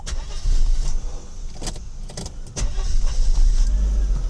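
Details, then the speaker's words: Mercedes W126 300SE warm start at 80 degrees after fuel distributor repair: a couple of short cranking bursts, then it catches cleanly into a strong, even low rumble, idle settling at 700 rpm; normal warm start. "Bro, let's start it up now It's warmed up now temperature is at 80 Bro, start it up while warmed up"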